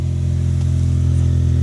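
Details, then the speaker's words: 1991 Daihatsu Mira walkthrough van, cold start after priming the fuel system and replacing oil-soaked parts: small engine revs cleanly with a smooth steady drone, no stumble or rattle, slightly smoky at startup; normal running. "this is how it's supposed to be. It's a cold start. It's probably burning out all the gunk that was in there too."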